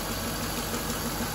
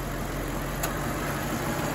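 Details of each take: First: Infiniti M45 at idle with AC off during a fan control module check: steady, even idle with no fan roar on top; the engine runs smoothly and the cooling fan correctly stays off. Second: Infiniti M45 at idle with AC off: loud, steady rushing roar from both radiator fans that never eases and grows louder; fans stuck at full speed from a failed fan control module.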